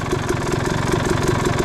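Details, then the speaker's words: Suzuki RM250 two-stroke with a new Lectron Pro Series carb, warmed up, settling from a high idle into an even steady idle with a regular low pulsing beat; possibly slightly lean on the metering rod, with tuning still needed on the torque jet circuit, the new circuit, or the metering rod. "It gets to an idle that I really like, but I think we have a little bit of tuning to do to either the torque jet circuit, the new circuit, or the metering rod."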